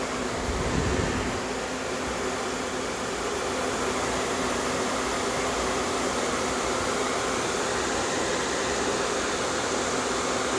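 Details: Small compressor in a homemade air conditioner at first start-up, not yet fully charged, no condenser fan, headers about 78 top and 173 bottom, condenser water warming. Steady rushing hum with faint low tone, no knocking; normal compressor running.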